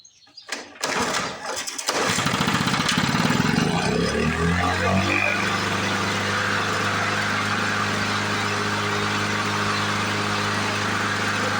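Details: 1977 Ryan commercial mower two-stroke, started after decades in storage: two pulls, catches, buzzes rough a few seconds, then settles into a steady, even run; normal start and run.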